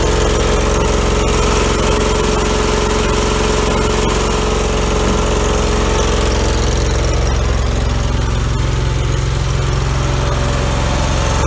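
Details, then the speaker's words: 2000 Allmand TLB-25 mini backhoe, 25 hp Kohler twin-cylinder gas engine, after head gasket replacement and electric fuel pump added, driving the driveway packing snow; loud, steady, even throb, no knocks or misses; normal engine running. "oh we got that engine all straightened out on this the head gaskets on it they're real good now just running up and down the driveway trying to pack the snow down there"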